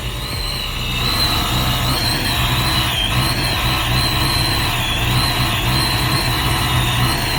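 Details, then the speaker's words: Supercharged Saleen Foxbody Mustang V8 at first cold startup on a new base tune: lumpy, uneven idle with wavering supercharger whine, running rich on cold enrichment, about 12-14 inches vacuum; tune still needs fixing. "But as you can see, that's what it is right now. You can hear the whine from the Supercharger."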